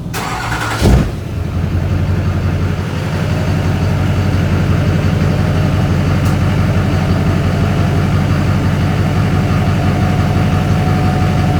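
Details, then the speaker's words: Duramax diesel pickup, cold start, 5-inch cat-back straight pipe with catalytic converter retained: cranks and catches, then settles into a steady deep idle with a faint turbo whistle riding over it. "You can hear the turbo whistling. Hell yeah. And now we got the Duramax running."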